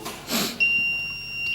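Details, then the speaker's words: Smart circuit breaker (smart MCCB/RCBO) test with relay unpowered, phase and neutral disconnected, phase taken externally for simple grounding: steady high-pitched earth leakage warning beep, unit limiting leakage to 7 mA and still signalling. "When I check if simple grounding is working or not, the relay or the smart fuse is limiting it to 7 milliamperes and it's still giving a signal."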